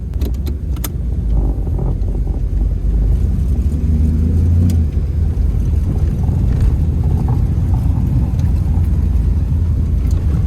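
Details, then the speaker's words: 1984 Pontiac Firebird 350 V8 with block hugger headers and dual exhaust, driving after a cold start: deep, steady rumble with even pulses under light throttle, no knocks or misses. The engine sounds healthy. "I have to say though, this car has always, the 350 motor has always sounded good, especially when you have an exhaust on it."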